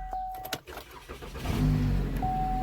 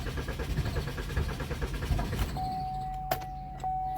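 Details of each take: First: 2013 Chevy Malibu crank-no-start, no fuel due to blown 20 A fuse feeding fuel pump module, fuse replaced: a few clicks, then short crank catching quickly into a steady even idle. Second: 2013 Chevy Malibu crank-no-start: starter churns in quick pulses, engine barely catches then dies; scan showed lost communication with fuel pump control module, which had no power from a blown 20 amp fuse; replacing fuse restored power and it started.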